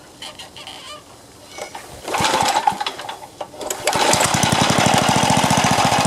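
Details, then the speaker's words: Craftsman four-stroke edger, Tecumseh engine, after moving governor linkage to correct hole, choke on, throttle under halfway: starts rough then settles into quick even beat at steady speed; neighbor's mower faint behind; normal running. "that was it well that was a super easy fix uh sorry my neighbor just uh fired up his lawnmower over there but that was a super easy fix i could tell it was a governor problem"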